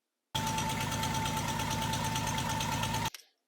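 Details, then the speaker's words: El Camino V6 idling before V8 swap: steady hissing whistle over rapid, even idle pulse from an open transmission vacuum hose; plugging it stopped the sound. "this one right here is a transmission hose the reason why I know that is because it was making this sound"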